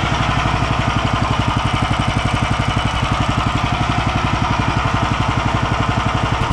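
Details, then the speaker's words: Home-built machine's motor after centring the pulleys for a poly-V belt: a steady, even single-cylinder beat near four per second with no knocks, slaps or squeal. The motor runs well and the belt runs true. "давай за ведущий очень нравится как мотор работает поет"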